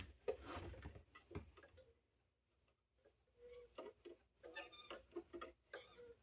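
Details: 1960 GE P780 portable transistor radio powered up for the first time on six marginal D cells, one of them later found dead: faint irregular ticks and crackles with brief squeaky tones. The set is trying to play; crackling output, cause unclear.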